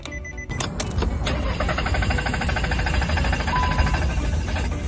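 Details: Car that won't start despite throttle cleaning and new spark plugs and ignition coil: starter churns steadily for several seconds but the engine never catches; crank no start traced to a fouled camshaft position sensor.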